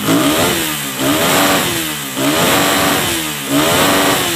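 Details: Suzuki Satria FU, otherwise stock, just fitted with a new PE 26 carburetor and air filter: clean crisp rev blips about every second and a half, rising and falling smoothly without stumble; sound is good.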